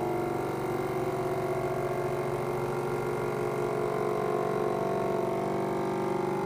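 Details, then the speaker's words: FoodSaver V2490 after washing and wetting the leaking door gaskets as a temporary fix; steady even hum, no surging, pulls canister down to a tight good seal; gaskets still to be replaced. "okay nice and tight good seal so that's uh something you can do to get yourself working temporarily is to get get that uh get those seals wet"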